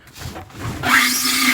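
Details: LG DLEX2501W front-load dryer screeching: dry rasping scrape with a low steady drone as the drum drags over a seized, jammed rear support roller; drum removal needed to reach it.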